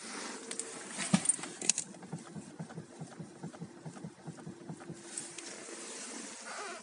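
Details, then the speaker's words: 2012 Skoda Superb 1.8 automatic, engine warm after about 20 km, stationary while the steering is worked: dull, uneven low knocks from the steering rack, also felt through the steering wheel. "всем привет что вопросов не было что это именно рейка гремит двигатель прогрет"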